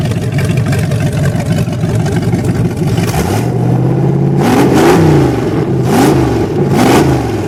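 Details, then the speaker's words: 1928 Dodge with 440 V8, just broken in: cam broken in, timing and carburetor set, overheating cured by welding fan brackets to hub (never over 180°F thermostat), no metal in oil filter; deep even burble at idle with three clean throttle blips; healthy running. "i love the way it runs and the sound take a"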